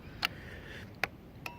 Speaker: Blink, blink, blink. There's a blinker. And it blinks on the switch panel.